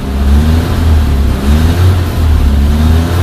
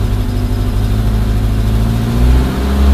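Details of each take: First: Suzuki Samurai/Jimny 1300 SJ413 JA51 with newly fitted Toyota 3K-C carburetor, probably needing adjustment: revs rise and fall unevenly, dipping and hesitating with the throttle held; stumbling as it runs out of fuel. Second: Suzuki Samurai/Jimny 1300 SJ413 JA51 with Toyota Corolla 3K-C 1.2L carburetor replacing a Weber: steady, even idle, then picks up smoothly when revved, no stumble or misfire; running healthy, though the owner says it still needs fine-tuning.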